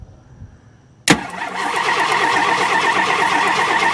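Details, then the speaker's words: 1968 Ford XL abandoned car with the valve cover off: engine starts and settles into a steady, even idle with light regular ticking, about 165 per minute, and all valves opening and closing normally. "I do want you to watch all these valves. Everything is opening and closing."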